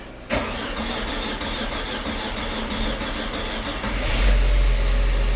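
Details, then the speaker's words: Audi A4 B6 1.8T Quattro wagon, first start after a two-month engine refresh and swap, once the injectors and cam sensor were sorted: brief crank, instant catch, even steady idle with no knocks or misses; healthy start. "and it sounds sick"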